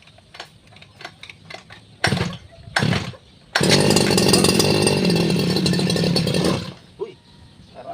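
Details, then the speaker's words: Robin Subaru two-stroke grass cutter, newly bought, test with choke on: two pull-start bursts, then it catches, buzzes evenly about three seconds and cuts out; stalls after starting, owner suspects it is out of fuel. "wala nang gasolina to ah."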